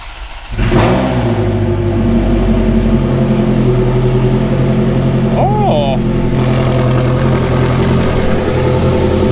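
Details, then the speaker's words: Ferrari F430 idling after the exhaust leak repair, aftermarket headers reinstalled with new factory gaskets and hardware: engine catches and settles into a steady, even idle with smooth exhaust note, no ticking or puffing; much better condition and sound. "This thing is in much, much better condition and sounds a lot better."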